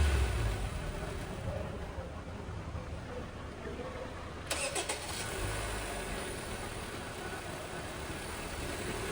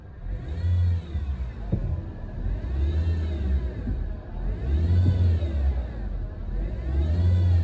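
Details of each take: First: 2019 Honda Civic after replacing the cracked drive belt, noisy auto tensioner and idle pulley: engine starts cleanly and idles smooth and quiet with no squeal or chirp from the belt side. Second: 2019 Honda Civic, about 100,000 km, engine started and revved: revs rise and fall with a whirring, chirping note climbing with rpm; worn auto belt tensioner and idler pulley bearing.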